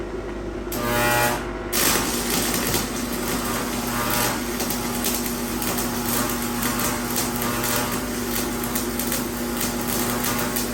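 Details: Steady low AC mains buzz from a variable inductor coil wired in line with a lamp, with laminated iron inserted in the core. The loosely fitting laminations vibrate in the alternating magnetic field; normal transformer-style hum.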